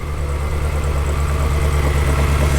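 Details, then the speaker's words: Ferrari engine at idle with plugs being pulled on cylinders five and two to test ignition: deep, uneven idle with a pulsing, stumbling beat; misfire at idle. "if they don't change and the engine still kind of sounds like it does now then we likely have a problem with the ignition system"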